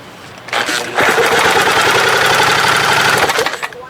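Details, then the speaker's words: 1971 Johnson 20 hp outboard compression test: one brisk pull gives a couple seconds of firm, evenly spaced chuffs; good compression, top cylinder reads 140 psi. "what's that's you see it it's way over 120 it's 140 wow now if the bottom matches me good shape"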